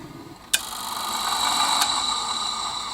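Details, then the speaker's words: HP 8901B modulation analyzer cooling fan spinning up after a click with a harsh, rising, rough grinding hiss over a high whine; the bearings are shot and the fan needs replacing. "okay that fan defit need replacing those bearings are shot that is the worst one I've ever seen"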